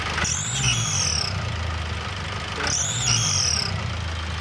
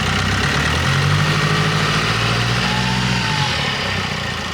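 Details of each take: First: Turbocharged engine running with all drive belts removed, only the flywheel turning and the air filter off: a high whistle rises and falls with two throttle blips, tracking boost, not from the alternator clutch or rollers. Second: Turbo petrol engine running with all accessory belts removed and the air filter off: brief throttle blip, loud intake drone from the missing filter but no whistle. Rules out belt-driven parts as the whistle source. Normal rev, no whistle.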